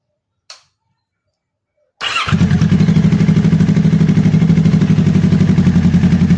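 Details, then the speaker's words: Kawasaki ER6n twin after engine flush and oil change, just started: starter catches quickly, steady even idle with no knocks or rattles, smoother and quieter than before; normal idle, warming up. "ตอนนี้ผมลองสตาร์ทเครื่องดูแล้วนะครับเสียงมันมันนิ่งกว่าเดิมเงียบกว่า[เพลง]เดิม"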